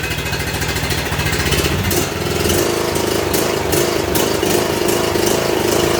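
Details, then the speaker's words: John Deere D110 Briggs & Stratton mower after repair for no-start with no compression, running at full throttle; steady even drone, governor holding speed, no hunting, smoking or surging; normal running at full throttle. "sounds pretty good y'all stand by [Music] sounds like she's doing good not smoking not surging i think we got this one straightened out"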